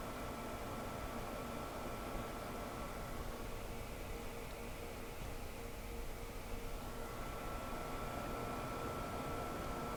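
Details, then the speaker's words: Home server after upgrading to Noctua Redux NF-R8 and NF-P12 fans: soft, even airflow hiss with a faint steady tone and no rattle or buzz; much quieter, old fans were the noise culprits. "it's still there but what a difference definitely these fans here you see that there these were the culprits of most of the noise"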